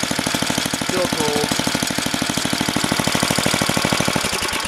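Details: Craftsman 10 hp 28-inch snowblower, apparently after carb kit and head gasket rebuild, cold start: steady, even single-cylinder putter at about three firings a second, no misses or knocks; hums healthy while still cold.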